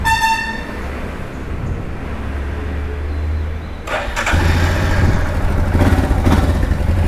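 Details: Royal Enfield Himalayan 411 started up after its 5th service (oil and filter change, chain cleaning): engine catches and settles into a steady, even low thump at idle, no knocks or rattles; healthy.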